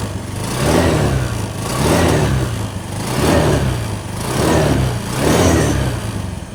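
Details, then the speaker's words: Scooter CVT after fixing worn, loose roller-housing bushings that had caused a loud rattling at idle: five even throttle blips, engine rising and falling smoothly with no rattle or knocking; CVT now nearly silent. "Oke, demikian kawan-kawan ya. Sudah sangat senyap ini. Nyaris tidak ada bunyi."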